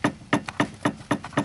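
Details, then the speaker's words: 2000 Chrysler 300M, under car at right spindle: sharp hollow clunks about four a second as the loose sway bar link is rocked by hand, the knock heard over bumps. "so this is the actual sound that you hear when you go over bumps you hear that and that's caused by a loose uh or a uh yeah a loose sway bar link"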